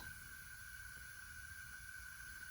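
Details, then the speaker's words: Leak-down test on Honda ATC70 engine: constant thin hiss with steady high tone as air escapes past the valves; at 30 psi input gauge reads 20, about 33% leakage, well above the roughly 10% limit. "go up to 30 pounds it's a little louder so we have and this is a 30 this is 20. so we have like a 33 percent leakage which is bad"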